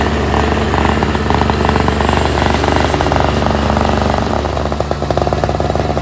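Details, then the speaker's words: NOMA 4.5 hp Tecumseh two-stroke 21-inch single-stage snowblower, pull-started after the tar-clogged fuel filter was replaced, on full run: crisp, even rattle holding steady speed, no misses or surging. Runs great, normal. "Runs great. I'm stoked."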